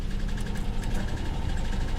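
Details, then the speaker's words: Salvage-yard V6 car with a Shaker audio system at idle: low, uneven lumpy beat under a steady rumble with a felt misfire; a lifter tap, piston slap or possibly rod knock is suspected, unconfirmed. "now that that may be more than a lifter tap that almost sounds like a uh piston slap or possi possibly even a rod knock I can feel a misfire in the"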